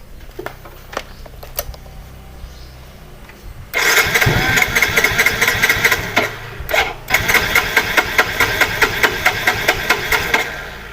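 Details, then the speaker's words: Yamaha Soul GT (Mio J/M3-type) fuel-injected scooter, hard-starting complaint; battery jumped, fuel pump hums, spark at plug good. Starter spins engine in a quick steady rhythm for seconds but never catches; fuel pump pressure to be checked next. "oke mas bro tetap nggak hidup susahnya hidup hidupnya susah habis dan pasang dan di jumper dan pompa juga dengung"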